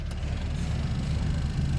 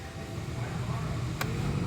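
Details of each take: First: Honda Fit aftermarket blower motor after resistor repair, at lowest fan speed: loud, rough, uneven low drone instead of a quiet hum; the blower motor is rubbing internally and noisy. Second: 2011 Honda Fit, 181,000 km, blower fan that only worked on high, after installing a replacement blower motor fan: steady even low hum with no rattle, tick or squeal; quieter than the old one, normal operation.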